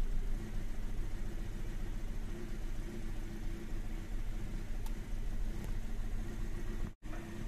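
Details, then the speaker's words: 2017 Toyota Vios automatic, 54,000 on odometer, codes P1603 and P0105, stalling and vibration complaint: low idle rising and falling unevenly with no check-engine light on the dash; engine misfire with rough idle. "taas baba yung idling pero walang check engine"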